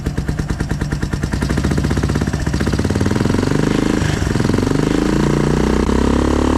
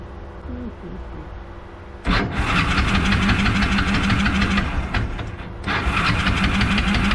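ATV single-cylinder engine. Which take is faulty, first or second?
second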